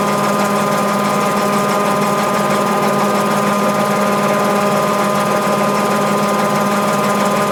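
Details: Mabe 18 kg washer, spin cycle with 110 V applied to thermo-actuator and drain pump throughout: constant whirring hum with steady tone, no clunks or scraping, pump running; normal spin cycle.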